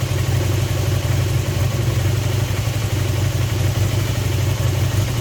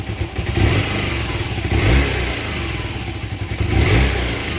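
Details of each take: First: Honda CB250N twin on stand with vacuum gauges on both carbs, left needle moving further: low steady idle with slightly uneven beat; carburettors suspected out of balance, needing synchronising. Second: Honda CB250N twin, engine resealed and refitted, after carb balance adjustment (gauges now more even): three quick throttle blips rise cleanly and drop straight to idle without stumbling; much more responsive, normal throttle response.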